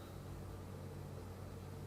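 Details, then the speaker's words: Hurco CNC drilling H13 with a two-flute MSC Edge flat-bottom drill, with coolant, at 100%: a steady spindle hum and an even cutting hiss with no vibration or chatter. A nice clean cut, pulling only about 1% spindle load. "See, you can hear it, but it's still There's There's no vibration in there. That's just It's a nice cut sound."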